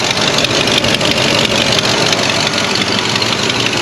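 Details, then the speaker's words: 1973 Oldsmobile 98, 66,000 miles, back after 15 years off the road: a loud, raspy idle with a fast ticking puff about three per second. A chunk of exhaust manifold gasket is missing; otherwise it runs smooth. "I'm sure you can hear it's actually missing an entire chunk of gasket right at the manifold. So that's why it's so loud right there. If that wasn't like that, this thing would be bone quiet, dead quiet right there at the motor."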